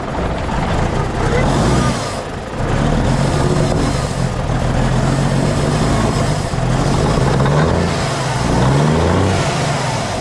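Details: Kenworth W900A diesel after months of restoration, new unbled fuel system, restarted: deep rumble steady at idle, swelling and easing with throttle blips; starts and revs strong and healthy.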